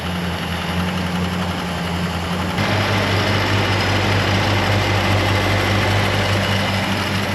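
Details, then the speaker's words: Chrysler Newport V8 started after 22 years sitting, with a vacuum leak noted: steady even low idle rumble, no belt squeal after belt fixed; lifter tick gone, normal idle. "Somebody decided they were No slippy belt. So much better."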